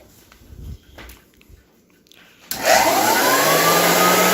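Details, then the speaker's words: 1923 GE Premier Junior upright vacuum cleaner being restored: a few quiet knocks, then a smooth steady motor and fan whir with the belt removed, taking the noisy brush-roll bearings out of the sound; normal motor run. "how it's supposed to sound"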